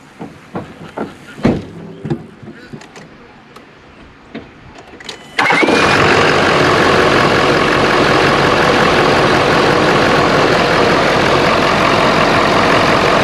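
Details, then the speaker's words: 2011–2018 Ford F250 6.7L Powerstroke diesel started after replacing failed OEM cold side intercooler charge pipe with Sinister Diesel pipe: clicks, then steady even idle with no hiss or whoosh; repair done. "now we're going go start it up see what it sounds like see if we got our power back"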